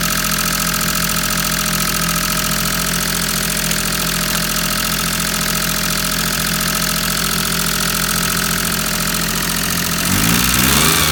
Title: #maruti_800_5_speed_mpfi_engine| Maruti_800DX 5-Speed #Alto #5_five_Speed | Misfire in patrol